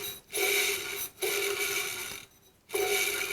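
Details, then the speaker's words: Workshop air compressor's single-phase electric motor running with drive belt removed: gritty raspy whir with thin steady tone in short bursts; noise traced to worn electric motor bearings, pump head fine, bearings to be replaced. "it would appear that all the noise is coming from the bearings in the electric motor pump head itself seems fine no strange noises"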